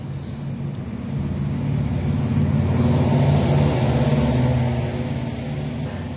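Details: Yamaha NMAX (old model) with fault code 61, ISC wiring reconnected/extended as a trial: steady low single-cylinder hum swells briefly then settles, no hunting or racing; idle sounds normal.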